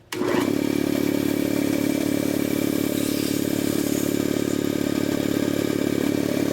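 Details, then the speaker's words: Jenny air compressor whose pilot valve has failed, clogged by trapped debris, starting and building pressure normally up to about 50 psi: steady, even pumping drone of constant pitch. "Now I'm going to turn this machine on and let it build pressure so you can hear what it sounds like when this pilot valve has failed."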